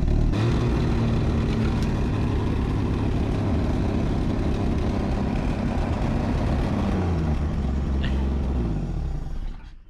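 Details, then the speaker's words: Junkyard Chevy LUV camper, old four-cylinder freshly revived after sitting for an unknown time, untuned: revs up well but sags and stumbles on light throttle with an uneven low rumble; throttle sticking, tune-up and valve lash check suggested. "tried to rev it up from in here and the throttle stuck it revs up really good but if you just try to ease into it it's starting to mess of course it ain't tuned up and we don't know the last time it's ever ran"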